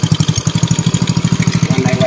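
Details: Indonesian Honda Win motorcycle single-cylinder engine after rebuild, clutch re-riveted: even putter at about twelve firing pulses a second, steady, free of rattles or knocks, no clutch whine; smooth, healthy idle.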